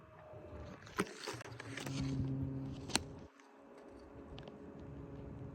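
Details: 850 W PC power supply: steady low electrical buzz with a faint higher hum, broken by a couple of sharp handling knocks; cause unknown.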